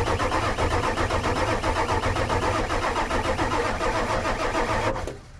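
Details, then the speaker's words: 1996 Ford F250 7.3L Powerstroke diesel revival on starting fluid; fast, uneven idle for about five seconds, then abruptly dies; RPM gauge stopped while cranking, cam or crank position sensor suspected, not confirmed; engine stalls after starting. "So, to answer the question, will it run? Yeah, this truck runs. It actually runs pretty dang good. And even though it died, and I'm pretty sure I've got an idea of what's wrong,"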